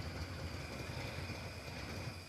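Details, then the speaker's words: Engine first start after long starter-install battle, at idle: low, even rumble with steady rhythm, no tapping, knocking or smoke; engine sounds healthy. "This sounds great. It's not knocking. It's not smoking."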